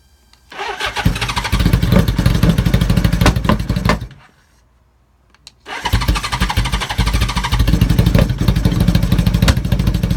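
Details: 1980 Honda CB750K: engine fires, stalls after a few seconds, restarts and settles into an uneven, lumpy idle beat; rough idle, cause not found.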